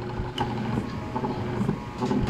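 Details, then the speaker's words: Hanabishi stand fan that hums when plugged in: steady low electrical hum as the motor barely turns, with light handling knocks; bushing suspected seized and weak capacitor suspected; not confirmed. "so Okay naman yung motor niya oh kaso mukhang naiipit lang yung kanyang bushing"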